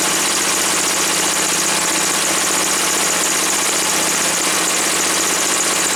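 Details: Woods 6180 zero-turn mower, 18 hp Briggs & Stratton Vanguard V-twin, after carb cleaning: smooth, even idle with a light, steady patter and no hunting once the air filter top was removed; owner suspects a plugged, oil-saturated filter.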